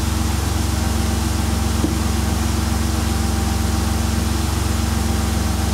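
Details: 2002 Mercury Cougar 2.5L, returnless fuel system, no-fuel-pressure fault from reversed wiring on a new fuel pump: smooth, even idle, steady low hum, no stumbles, ticks or surging; engine healthy.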